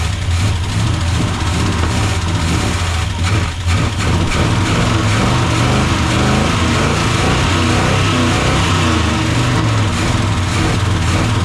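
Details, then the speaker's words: Freshly swapped Gen 6 454 big-block V8 with hydraulic roller cam in a 1976 C30 dually: lumpy, stumbling idle that won't settle. Carb was swapped over suspected stuck jets. "As you can see, I even changed carbs just because I thought this carb here might have just been sitting too long, might have had stuck jets and whatnot."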